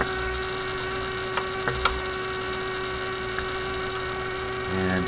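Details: Steady low hum under faint clicks from a 1967 Heathkit Electronic Projects Kit AM transmitter build; the bench power supply was producing the mains hum.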